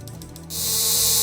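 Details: Homemade taser, 12 V supply, 555 oscillator driving a MOSFET that switches a relay into a transformer primary, neon lamp clamping output near 100-120 V: about a second of harsh, very high-pitched steady buzz with the button held, relay chattering fast, normal.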